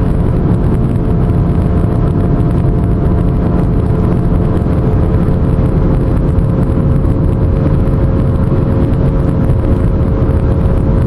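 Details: Pontiac while driving steadily: constant deep drone like a distant airplane with faint hum on top; owner suspects a bad wheel bearing.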